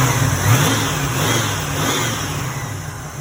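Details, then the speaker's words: 1986 Oldsmobile Cutlass 442 after replacing AC compressor belt and retensioning all belts: fires right up with quick rev, then steady even run, no belt squeal or odd knocks. "Great. And let's start it up. See if anything crazy happens."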